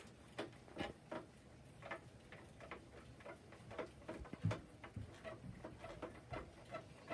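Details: Sharp creaks and ticks on a CHAOKE magnetic-resistance belt-drive exercise bike, repeating about every 0.4 s with each pedal stroke, even with the handlebars tightened as far as they go and cardboard shimmed in.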